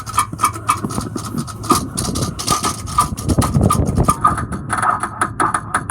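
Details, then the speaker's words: 2006 Ford E-450 Blue Bird Handy Bus: irregular clicks and short grinding bursts from the starter area, engine never turns over; a starter or connection problem is suspected. "sounds like a starter wants to engage it sounds like a connection problem it sounds like a it sounds like the starter there's a problem with the starter definitely"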